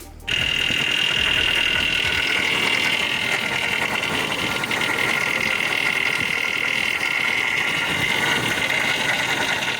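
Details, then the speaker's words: 2001 Ford SVT Lightning, Eaton supercharger pulleyed up high, failed while driving: harsh rattling scream with a shrill whine near the top throughout; blower has come apart inside. "So obviously you can hear that sounds terrible. That blower is trashed, and I'm not throwing any money at any more Eaton blowers."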